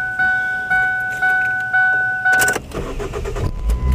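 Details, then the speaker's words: 2005 Ford Focus after fuel filter replacement and fuel pump fuse reinstalled (fuel lines drained): chime beeps, short crank, engine fires quickly and settles into an even idle; normal start. "oh mine started right up but just little run for a [Music] while"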